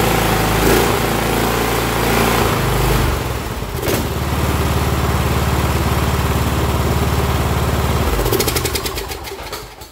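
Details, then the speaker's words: Cub Cadet LT1045 yard tractor (Kohler Courage 20) after carb, fuel line and plug replacement: fires, stumbles briefly, then steady even thump about three beats a second, no surging; it used to surge badly. "That's a fucking win, if you ask me. It used to surge real bad."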